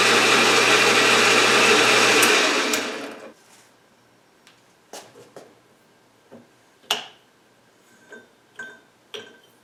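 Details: Atlas horizontal milling machine reassembled after two years apart in a shed, with gib adjusted, rewired, belts refitted and oiled. Steady motor hum and smooth belt whir, then an even coast-down and handling knocks; runs fine.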